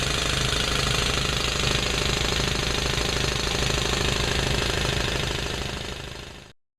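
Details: Old air compressor, probably 35–40 years old, after replacing worn-out motor bearings and a broken belt: fast, even pumping chatter around four strokes a second with a steady motor hum and no grinding or squeal. Normal running.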